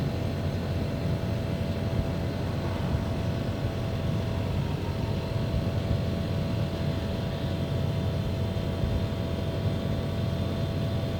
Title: Split AC Abnormal Sounds and Vibrations